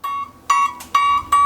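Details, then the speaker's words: Older Hegner scroll saw fitted with a Quick Lock tension rod, blade tightened one to two turns past slack; four clean plucked mid-high pings ringing briefly, showing the blade correctly tensioned and tight. "Now, experienced scroll saw users would probably be able to tighten this up and just listen to the ping in the blade to adjust the tension on this tensioning rod."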